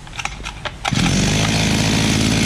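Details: Imported 43cc brushcutter after carburetor adjustment, upper screw 1.5 turns and lower two turns out: catches after a few pulls and holds a steady, high buzzing rev with no stumbling or surging; normal running at high speed.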